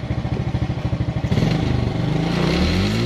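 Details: Suzuki Smash with a stumbling, hesitant throttle traced to a bad battery; charging voltage checks about 13.6 V, within range: single-cylinder putters evenly at idle, then revs smoothly and holds steady without misfire. Normal running.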